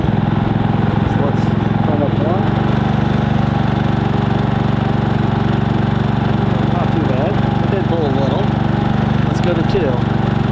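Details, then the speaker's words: Harbor Freight Predator 3500 inverter generator on propane via a Nash tri-fuel conversion kit, switched from normal to eco mode: a steady, even drone at slightly lowered speed with no misses or surging, a normal eco-mode idle. "now that was running not on eco mode let's switch it over to eco mode see what it sounds like here eco mode down a"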